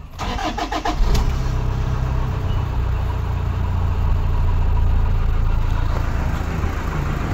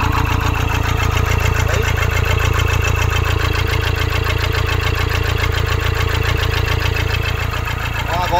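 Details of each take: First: 2013 Toyota Hilux 1KD diesel, 171 hp, after a new original number 4 injector was fitted: quick crank and catch, then a steady, even idle with no miss or lumpiness. Normal in the first 20–30 minutes; injector 3 later faulted when warm. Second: 2013 Toyota Hilux 171 hp KD diesel, won't run after washing, scan shows injector communication and rail pressure faults: disconnecting injector 4 changes nothing, idle stays loud and lumpy about four beats a second with one dead cylinder; injector 4 faulty, replaced with new original.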